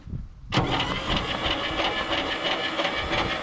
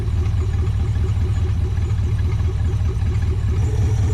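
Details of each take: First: Abandoned 1959 International B100, starter hot-wired with a push button to the battery: starter kicks in abruptly and churns slowly, unevenly without catching; weak cranking, not the best but cranking. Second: Abandoned 1959 International B100 truck, first run after carburetor float level set and coolant flowing: even, steady thrum with a regular firing beat and no knocks or misses, revving and dropping back to a perfect idle; normal running.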